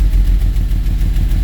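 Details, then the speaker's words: 2010 Volvo XC90 six-cylinder: deep, lumpy idle with uneven stumbling pulses and engine shaking from misfire; a coil pack melted inside; fixed by new spark plugs and coils. "that's running funny? See how the engine is shaking? That's because bad coil packs."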